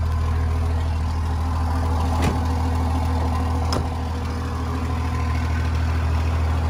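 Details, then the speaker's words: 24-valve Cummins diesel truck with no exhaust, only an open downpipe: deep, loud, unmuffled steady drone at idle; loud exhaust from missing exhaust system. "and it does like i say have open down pops it sounds like crap but i'm trying to get an exhaust figured out right"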